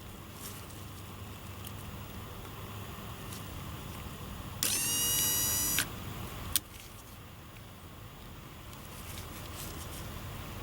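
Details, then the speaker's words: Honda Odyssey sliding door closer motor, refitted after the mechanism was found jammed: about a second of steady high whir ending in a click, operating normally. The owner suspects the motor is failing and may stop working again. "So this is doing exactly what it's supposed to be doing."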